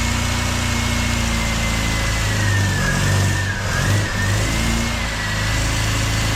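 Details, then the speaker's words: MGB engine, freshly overhauled with supercharger just fitted, first 40-second run without coolant: idles and revs with uneven lumpy note and faint wavering high whine; rough running when revved, owner unsure what to adjust, maybe better with coolant. "so that's 40 seconds of running a bit difficult to start up but it went and I think I have some adjusting to do so that it sounds a little bit better than it did"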